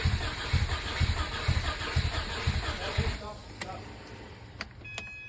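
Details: Subaru EJ257 engine, third start attempt; starter cranks in a steady pulsing rhythm about two a second for three seconds then stops, engine never catches; crank, no start.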